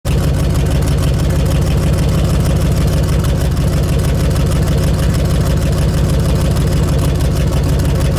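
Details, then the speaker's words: 20-year-old 2003 truck on original exhaust, idling before repair: loud, deep idle with a raspy, puffing edge from an exhaust leak at the pipe-to-muffler joint, where a clamp had rotted off. "after getting it back it had a pretty bad exhaust leak so I had seen that there was a clamp missing from here it pretty much rotted off"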